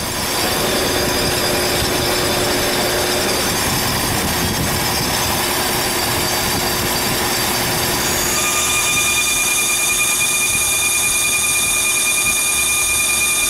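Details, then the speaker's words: Lathe machining a pulley for a Bush Hog: a high, steady screech with a ringing tone over the cut; the cutting bit is too thin and vibrates (tool chatter) even though it is clamped as far in as it will go. "that's the sound of a bit [Music] vibrating this bit is not thick enough to hold the uh self together from that"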